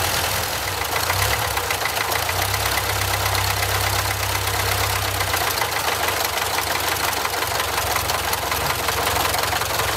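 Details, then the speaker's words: Barn-find Austin-Healey Sprite on its second start, with only a new battery and drip-fed fuel: steady idle holding on its own with a light, even tick and no stumbling; rust blowing out of the exhaust. "look at that it's actually idling on its own now"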